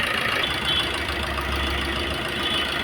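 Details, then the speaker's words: Maruti Suzuki Swift diesel at about 154,000 km that had loud knocking, suspected timing kit, after the timing kit work and setting the timing marks: even, smooth idle with a steady hum and no knocking or tapping. Normal idle. "देख सकते हो अभी अपनाय गाड़ी एकदम पूरा silent है"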